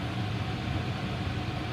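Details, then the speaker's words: Home furnace after draft inducer replacement: steady, even low hum with blower running, no rattle or scraping; normal quiet operation. "now this is the way it's supposed to sound you go back to the beginning as opposed to now you see the difference see the igniter starting to light then the flames are gonna kick in"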